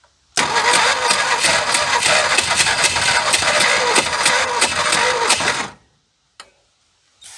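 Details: 1976 Ford F150 abandoned 30+ years, spark restored, carb cleaner sprayed in: ragged, uneven firing catches about five seconds, sputtering and popping, then dies; not yet running.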